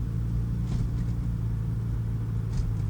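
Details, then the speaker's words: 1997 Toyota Tacoma 2.4L four-cylinder, warm at operating temperature, after new fuel injectors fixed misfire: low even drone pulling steadily under acceleration, no stumbles or hesitation, normal. "the short-term fuel trim looks to be almost perfect no hesitation when accelerating that's good"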